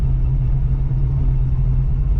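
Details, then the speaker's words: 1985 Oldsmobile Cutlass with a brand-new carburetor, warming up with water temperature under 100 after sitting undriven for months: a deep, steady, even idle with no misses or rattles. The idle is set where wanted. "That sounds about where I want it to be. If you hear the idle,"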